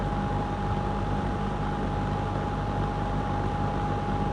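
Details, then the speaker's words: Lakewood P25 metal-blade fan, barely used since 2009-2010, window exhaust heard from outside, on high: steady whooshing chopped air with clean constant tone, no ticking or wobble; normal running. "But oh, that's just so cool. Just hear it chopping that air."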